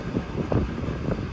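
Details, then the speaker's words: Rooftop package-unit furnace that had no spark. After repairing the control board whose transformer had died, with R jumped to W, sharp spark ticks come about every half second over a low burner rumble, then ignition catches; the igniter now sparks properly. "spark spark yeah so yeah we have ignition"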